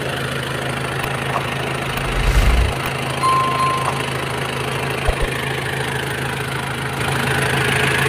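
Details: 1997 Nissan Big M pickup, BD25 2.5 L direct-injection four-cylinder diesel: steady, even idle with light, regular clatter, no misses, knocks or hunting; engine idles normally.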